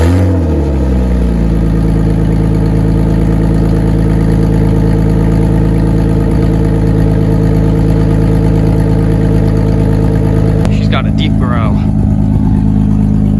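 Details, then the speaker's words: 1988 Toyota Supra 7M engine, cold start with oil checked and topped off: steady low rumble at idle with a faint uneven puffing tick over it; owner points to an exhaust leak up front. "hear the exhaust leak. It's somewhat up here too. Oh yeah, you can hear it."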